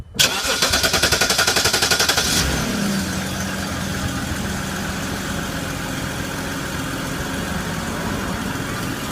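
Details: 2011 BMW, owner reports transmission issues; fast rough cranking about four beats a second for two seconds before the engine catches and settles to idle; starter sounds suspect.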